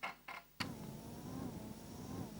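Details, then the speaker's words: Amiga cooling fan with 43 ohm series resistor: after a click, a faint slightly wavering hum; fan underpowered and struggling from too low supply voltage, replaced with 33 ohm. "okay I can hear that struggling"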